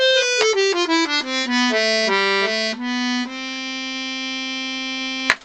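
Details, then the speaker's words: Vintage Scarlatti 24-bass accordion, treble-side reeds after tuning to A440: clean, steady notes step down a scale and hold a long chord with no beating, buzz or waver; well in tune. "I've now tuned the set of reads on the treble side which are tuned to the pitch of the accordion which was a440 so I've got them all tuned up and this is what they sound"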